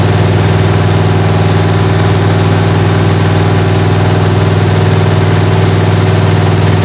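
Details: 1977 Chevrolet Malibu V8 during cam break-in after a cold start, head temperature gauge rising toward 150–180; even, deep rumble at steady high idle, no knocks or ticks; normal high idle.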